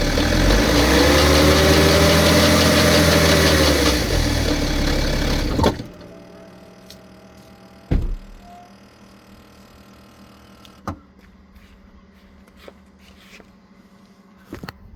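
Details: BMW petrol engine idling: a busy metallic clatter over its hum, then shut-off leaving scattered clicks; timing chain noise suspected, not confirmed.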